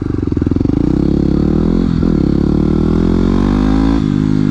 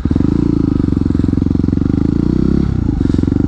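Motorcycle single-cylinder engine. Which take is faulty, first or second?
second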